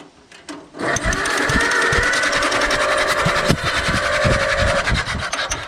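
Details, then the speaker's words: Allis Chalmers WD tractor engine after in-frame reman, cranked with compression gauge: starter spins it evenly, three to four beats a second, steady compression strokes; good compression for five to one ratio. "you got good compression for five to one"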